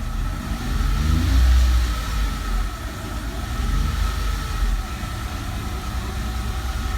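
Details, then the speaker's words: 2004 Mercedes SLK 320 flood car, 722.6 transmission after new conductor plate and filter, warm at operating temperature, idling in park: low, steady rumble with no transmission whine. "But just been letting it sit here and park, idling, and I don't hear any whine."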